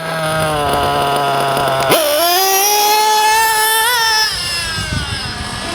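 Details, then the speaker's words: JQ THE TRTR nitro engine during break-in: buzzy idle, then on acceleration it stumbles and climbs slowly with lots of smoke, meaning the low-end needle is too rich before being leaned; rich low-end mixture. "and then when I accelerate there's going to be a lot of smoke and it's going to accelerate [Music] slowly and that means that the lower end is too [Music] rich"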